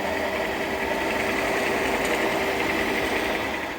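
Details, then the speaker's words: Large workshop lathe, headstock extremely noisy since purchase, signs of a crash, some bearings already replaced: steady hum with a persistent higher whirring tone and uneven rattle. "I did pull apart the headstock and replace a few bearings just to try and get rid of that noise."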